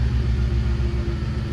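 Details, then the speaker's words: 2010 Ford Expedition after replacing rear air suspension compressor (Arnott) for P1726 code: steady low hum under engine rumble right from startup as vehicle lifts; new compressor runs immediately, unlike the old one, sounding healthy. "So let's fire it up here. Hear that little compressor running right away. The other one wasn't doing that"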